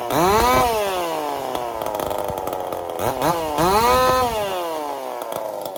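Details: Chainsaw fitted with a 372 carburetor, repaired ball-bearing detent and a copper-wire choke, test run after repair: crisp two-stroke snapping up and dropping back cleanly on each throttle blip, no stumble or hang; runs healthy.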